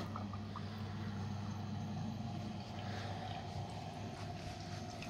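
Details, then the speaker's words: Red Sea Max Nano reef tank stock protein skimmer, with a pipe and exhaust added to the air intake and the microphone very close: a constant loud low hum with an airy rush. It is still very noisy. "you can see they have made made an exhaust for it which does Continent quite it down but it's still very very noisy as you can hear"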